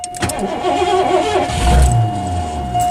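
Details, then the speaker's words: 1984 Lincoln Continental after sitting all winter: warning chime over a sluggish, labouring low-drone crank that never fires; slow crank from a low battery, jump start next. "Ooh, she's not sounding good. I think I'm probably gonna have to kind of hear that very low drone See, I don't. Wow."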